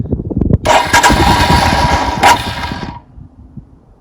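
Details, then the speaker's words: 2021 EFI Royal Enfield Himalayan single, cold start with the choke/idle lever pulled down, in neutral, fuel on: starter churns about two and a half seconds but the engine never catches and goes quiet; hard cold start. "Again. I'm going to give it the beans. It's just hinky as hell."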